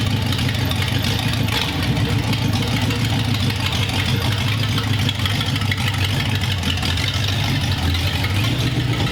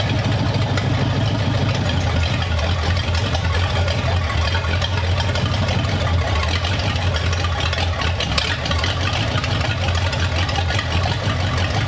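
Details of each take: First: 1932 roadster with a newly installed engine, running in the car: even, steady low burble with no misses, knocks or stumbles; a healthy idle. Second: 1932 Roadster V8, newly installed in the car, carburettors not yet adjusted: low, uneven rumble that holds about twelve seconds then dies; cause suspected, not confirmed. Rough idle.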